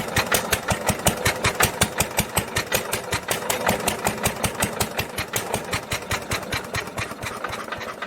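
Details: 1946 International LBBR 3-5 hp hopper-cooled engine off a hay press, with its muffler before the swap: sharp, evenly spaced exhaust cracks about 160 a minute over light mechanical clatter; harsh, barking note.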